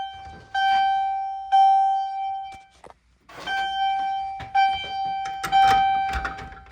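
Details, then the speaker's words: Fire-Lite MRP-2001 panel test: chime set to Temporal pattern repeats a clear mid-pitched tone in slow grouped bursts with short pauses, slower than continuous mode; normal temporal alarm, likened to a Dodge chime. "All right, next up, we'll go ahead and do Temporal. It's really interesting. Slows down. So it just sounds kind of weird, but yeah. Let's do this. Sounds like a Dodge chime."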